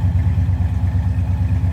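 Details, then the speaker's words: 1969 Plymouth Road Runner, numbers-matching V8 with 727 3-speed automatic, heard at the tailpipe: deep, lumpy, even burble with steady low pulses and no misses or ticks; normal idle. "Slip around to the back of this so you can hear it. Again, nice sounding car."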